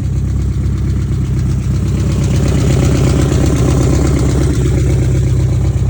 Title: E30 M3 S14 Engine Knocking